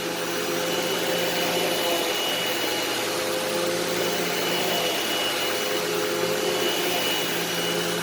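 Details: Eureka SmartVac 4870 upright vacuum rebuilt from two broken machines, switched on high-carpet setting: constant motor whine with light airy hiss, no rattles, grinding or wavering pitch; normal running, though the belt later seems to slip slightly.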